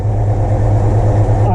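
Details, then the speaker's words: Mopar Slant Six with a newly swapped supercharger, idling: deep, steady, even idle with no squeal or rattle from the blower. Quiet and very smooth, normal idle. "you can see uh special effect all the steam which you can hear it's quiet this thing is idling real smooth so I'm very pleased with that"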